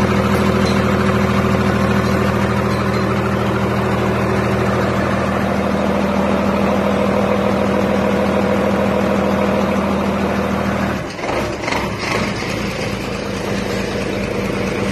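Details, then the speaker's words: Mitsubishi 6M61 diesel after fixing cranks-but-no-start ECU fault: steady diesel clatter at even idle, no misses or stumbles, shifting near the end as it settles; runs normally. "So ayun, umantar na."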